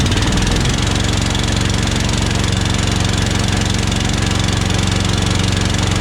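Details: Harbor Freight Predator Honda-clone single-cylinder engine on an air compressor, after clearing a water/bad-fuel float bowl and adding fresh fuel: a steady, even beat around 230 a minute with no stumbling. Normal running.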